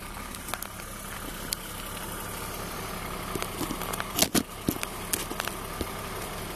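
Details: BMW E36 328i Cabrio, M52B28 engine, idling: steady idle with scattered irregular ticks and crackles from the engine bay, long-standing and unidentified; owner also feels power is lacking.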